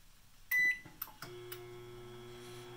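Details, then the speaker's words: Jenn-Air microwave that runs but heats nothing; door relay tested good with 119 V reaching the transformer. A beep, clicks, then only a faint low hum with no heating buzz. Owner suspects the magnetron is not coming on, unconfirmed. "and we'll check the cup again when it shuts off and I think we'll find it's still cold I don't think the magnetron is coming on"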